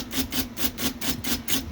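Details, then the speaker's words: IBM Selectric 1 typewriter after a stiff, sticky keyboard was flushed, oiled and blown out: even, crisp keystrikes at about five per second with single clean hits and no more doubling; working properly. "But this keyboard is really sticky, but it's feeling really good now."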